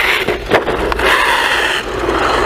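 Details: XLF X04a brushless 1/10-scale RC truck driving on the ground. Harsh scraping grind rises and falls with throttle over the motor whine; gears in the diff are stripped and skipping.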